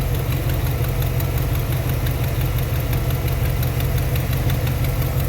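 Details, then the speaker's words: 1991 Chevy Silverado 350 V8, now idling on its own: steady idle with a light, fast tick about three per second over a deep rumble. Suspected exhaust manifold or header leak. "Okay, now it's idling on its own. It is idling on its own, man. [Music] We got a ticker over here."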